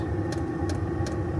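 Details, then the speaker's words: Chinese 12 V diesel heater in a caravan, fed kerosene, just lit after priming: steady combustion roar, heard from the exhaust and the air intake, with crisp even fuel pump ticks two or three a second; running properly. "And now it's going like the clappers. And you can hear it drawing air in through there."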